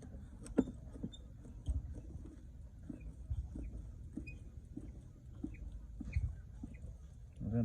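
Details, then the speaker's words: Kawasaki Ninja motorcycle rear suspension compressing: thin, short squeaks chirp over dull thumps, apparently from lack of lubrication at the swingarm and linkage, before lubricant is applied. "ela tá com barulho como se tivesse faltando no lubrificação na parte da suspensão traseira"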